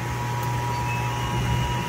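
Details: Gas hanging heater firing up: a steady, pure whistle near 1 kHz over a low burner-and-fan hum, caused by gas squeezing through an undersized flex connector.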